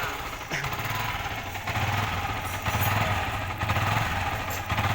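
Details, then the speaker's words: Yamaha R15 (old model) idling with throttle untouched: idle swells and sags on its own, hunting; cause is a faulty front-mounted rectifier/regulator overcharging. "Tuas gas tidak dimainkan, tetapi berayun -ayun. Jadi, mengemudi itu sulit, teman-teman."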